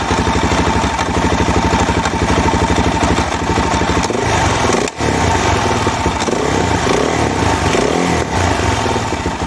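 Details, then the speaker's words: DRZ400 single-cylinder with rebuilt top end, not rejetted: nasty knocking thunk from bottom of engine under load and not under load, worsening; higher octane didn't fix it; cause was a loose stator-side plate. "i heard a really nasty knocking thunking sound coming from the bottom of the engine it happened under load not under load"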